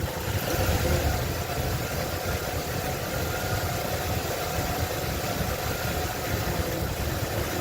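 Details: 1995 Ford Bronco 302 EFI, rough idle and stalling despite new distributor (timing 10°), IAT, IAC, TPS, PCV, tested ICM and EGR: low loping idle with occasional dips; owner suspects leaking vacuum lines.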